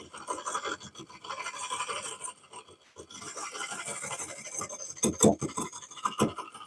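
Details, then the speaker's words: Lathe turning a cracked cork oak bowl. A scratchy cut carries a fast run of regular ticks, once per revolution, as the tool catches on the crack each time it comes around. "You hear it tick, tick, tick, tick, tick, tick, tick, tick, tick. It's ticking, hitting on this every time it comes around."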